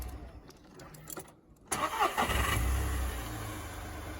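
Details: VW Polo 6R Mk5 salvage rebuild, long parked, started after a new fuel filter, fuel system cleaner and fuel pump priming: a brief clean crank, then it catches and settles into an even idle with no starter grinding or whine; a normal start.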